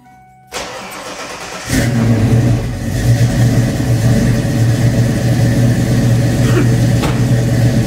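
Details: Fox Body Mustang 351W stroked to 358, Comp XE276HR-12 cam, Edelbrock Street heads, ported Cobra intake, 30 lb injectors, 75mm MAF, about 20° base timing, new high-torque starter: brief crank, then loud choppy loping idle; owner suspects running rich.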